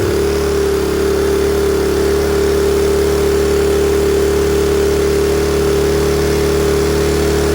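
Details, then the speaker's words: Honda EM400 generator on test: small engine screaming flat out at constant high pitch without settling; governor pulling throttle fully open, governor spring and stop adjustment needed. "all right the governor wants to be all the way on pulling the throttle all the way open in this position anyway we'll get to that"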